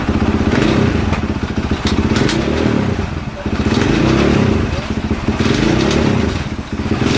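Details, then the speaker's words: 2022 KTM 450 SXF after transmission repair (5th gear had failed), on stand during heat cycle, blipped through gears: lumpy single-cylinder thump swelling and easing about every two seconds, no clatter or whine; gearbox healthy. "actually I'm going to do part of this heat cycle right now on the camera because I'm going to run it through his gears on the stand let's do that bre"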